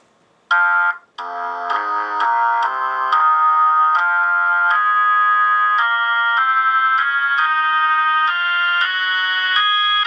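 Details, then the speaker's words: Vintage V21 Leslie upper driver, previously evaluated, on Leslie crossover and amplifier, played with organ chords: crisp and even with no buzz, rattle or crackle; driver sounds clean and healthy. "oh so it sounds clear it sounds clean"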